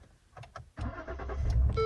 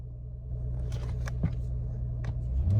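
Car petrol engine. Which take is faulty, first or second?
first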